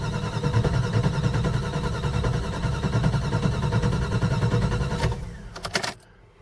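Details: Cold start after overnight engine heater, owner replacing temp and throttle-body sensors, possibly ECM/PCM: starter churns steadily in a low chug about five seconds then clunks off; starts and runs fine warm; hard start, long cranking.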